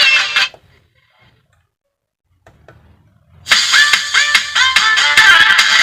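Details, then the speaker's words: Car-style 12 V MOSFET amplifier multimedia player (C5198/A1941 output transistors, UA741 BT board) playing a song through a speaker: harsh gritty distortion on louder notes; sound not right, one channel faulty. "देखिए दोस्तो आवाज कैसी आ आवाज सही नहीं आ रही है"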